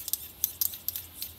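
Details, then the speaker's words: Small servo for Iron Man faceplate hinge, sharp uneven clicking about six per second from stripped gears. "that's stripped gears not a good thing"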